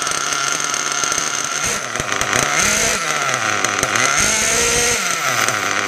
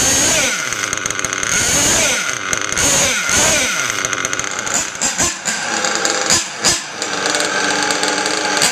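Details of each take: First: Mugen MBX6R nitro buggy on first startup after maintenance: a buzzy high-pitched engine whose idle sags and recovers. RPM drops when the brakes are applied because of a misadjusted throttle/brake linkage, which was then tweaked to fix the idle. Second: Rebuilt Mugen MBX6R nitro RC buggy engine after start-up: a high, thin buzz settles into a steady idle after a few blips without dipping or dying, a healthy idle. The idle had been dropping when braking, which needed a linkage tweak.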